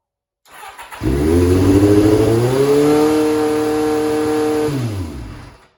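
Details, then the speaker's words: 1989 Kawasaki Ninja ZX7 during restoration, choke off and throttle not stuck: catches and climbs straight to a high, steady fast idle without dropping back; idle screw was turned way up. High idle from misadjusted idle screw. "Yeah, she certainly seems to want to over rev right now, so throttle's not stuck, choke's not stuck, so we'll have to do a bit of investigation there. Yeah, I just turned the idle. It was simple. The idle screw was turned way up"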